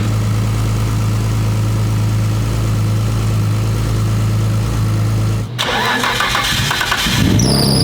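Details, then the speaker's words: Brand-new 1500 hp Nissan Skyline R32 GT-R engine idling after first start to seat the rings while the tune is adjusted: deep steady even idle, no misses or knocks; normal idle. "So, we're going to let it idle here for a while. Brand new motor and everything. So, going to just break it, let the ring seat,"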